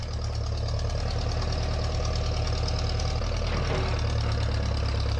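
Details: 1956 Case 420B running after the bent crown washer under the distributor rotor was flattened, restoring spark; a low, even rumble at a steady idle with no misses or stumbles, running smoothly.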